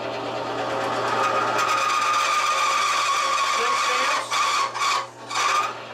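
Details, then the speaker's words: Bearing lubricant test rig with AFO refrigerant oil under rising pressure: begins failing at 15, locks at 20 and 25; amps climb from 5.1 to 7, noise peaks at 103 dB; high squeal over harsh scraping, then seizes; significant bearing metal wear. "We can hear it begin to fail at 15. And at 20 it locks up, at 25 it definitely locks up."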